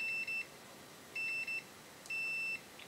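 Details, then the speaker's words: Infrared remote control repair, multimeter in continuity mode testing each circuit board trace: clear, high, steady beeps of uneven length about once a second in a quiet room; each trace conducts and is intact. "Par contre ici, on va tester la continuité de chacune de nos pistes."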